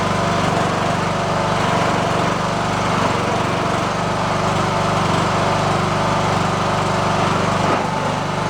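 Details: Riding lawn tractor said to shut off with a backfire after about 15 minutes at temperature, now run past 15 minutes warm without that happening. It gives a steady, even single-cylinder drone with no stumbling or backfire. It runs properly.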